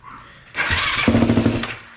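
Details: Yamaha YFZ450 ATV after top-end rebuild, continuity confirmed: starter whirs briefly, single fires and catches into a rough, popping idle that fades out; electric start working properly.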